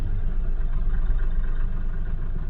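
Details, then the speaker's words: Mahindra Bolero Neo diesel after a long crank to start, following a rail pressure sensor fault (P019385) being cleared. Rough, lumpy idle with uneven knocking and heavy engine and body vibration. "पर car के अंदर अभी भी वैसे ही knocking है। Engine के अंदर पूरा वाइब्रेशन है। बॉडी में भी पूरा वाइब्रेशन है।"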